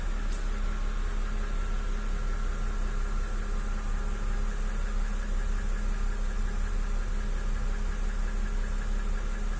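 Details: 2009 BMW N52B25 engine with 120,000 km at idle: dull knock about three times a second beneath the engine hum, heard best from underneath on a lift; owner suspects hydraulic lifter, camshaft bearing seat or crank bearings; source unknown.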